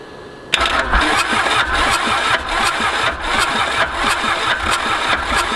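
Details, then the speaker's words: Mitsubishi K3D diesel on a Ransomes Bobcat mower, first start after 9 years, fuel pump and fuel shut off to clear heavy black smoke: starter churns in slow pulses about two a second, never catches; crank no-start. "we are gonna shut the fuel pump off hit the fuel shutoff and just crank this thing over my theory is that which is why I'm getting this crazy profuse amount of black smoke so you're gonna see if we can get it to fire"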